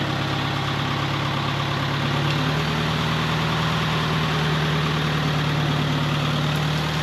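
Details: 1948 Farmall Cub tractor, long stored over winter, idling to warm up for an oil change: steady, low, even putter with no knocks or misses; healthy.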